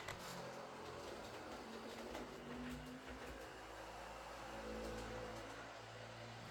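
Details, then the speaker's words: Heljan Class 23 model loco after split gears replaced with 3D-printed ones: quiet steady motor whir and smooth gear hum, no kicking, faint growl at times, suspected from motor mounting or drive shafts; runs nicely. "other than that this runs very nicely as most Helens do when you don't have split gears burnt out Motors or dried up sticky oil"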